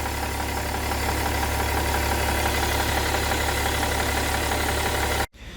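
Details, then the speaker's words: BMW E60 3.0d M57 diesel at idle, recorded at left side of engine: rhythmic puffing chuff and false-air hiss on each firing pulse, occasional smoke; damaged exhaust manifold leak causing noise and power loss. "I hope you can hear this like a false air running out and also when I'm actually reading sometimes there is a bit of smoke coming out from here so definitely there is some leakage"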